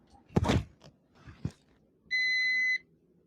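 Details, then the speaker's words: Continuity test on a Samsung WindFree AR12BVFAAWKNAZ air conditioner BLDC fan motor wires: handling knocks then one steady high beep about two-thirds of a second on the red wire, indicating a short. "Se fez esse barulho aqui com o vermelho, veja só, é que tá em curto."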